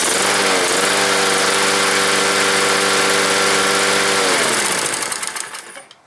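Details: Troy-Bilt lawnmower, Briggs & Stratton 190cc engine with plastic carburetor, about 1.5 years old, after a no-start fixed by carb cleaning spray: catches and holds a steady even beat for about four seconds, then winds down smoothly at shutoff; running clean.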